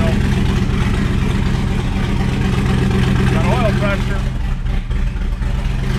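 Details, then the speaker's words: C6 Z06 Corvette with Texas Speed heads and cam, first started after reassembly: choppy loping V8 idle about four beats a second, then a rev blip; runs evenly, normal lumpy-cam idle. "that's the little floppy cam yeah back up and running"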